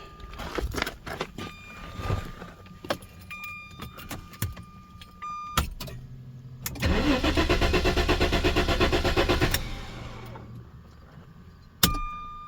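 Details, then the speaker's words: 1994 Jaguar XJ6 with a GM Vortec ignition control module fitted in place of the failed igniter: clicks then about three seconds of steady cranking that never catches; crank no-start with weak spark, coil suspected. "And I think we got spark too, but it's pretty weak. So hard to turn this ignition."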